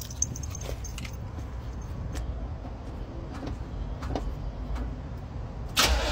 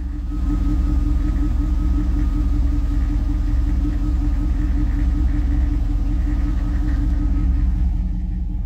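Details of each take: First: Chevrolet Camaro started after about two weeks sitting: uneven, lumpy rumble as it turns over and struggles before finally catching once given enough fuel; hard start after sitting. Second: Chevrolet Camaro started after about two weeks sitting; slow to start at first, then settles into a deep, steady, even idle with low rumble, no knocks or misses; normal idle.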